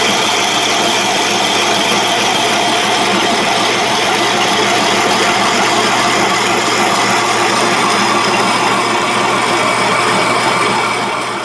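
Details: Country Living Grain Mill grinding home-grown dried corn into cornmeal: steady drone with an even gritty rasp between the plates, no knocks or labouring; normal grinding.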